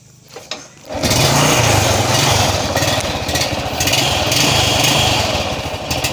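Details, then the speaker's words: Honda Revo Absolute motorcycle that had lost ignition, test-started after spark was restored: a second of quiet, then the single cylinder fires and settles into a steady, even buzz. It now starts and runs normally. "Hai atau teman sulit ya untungnya sudah bunyi Kembali jadi yang bermasalah itu adalah siklusnya"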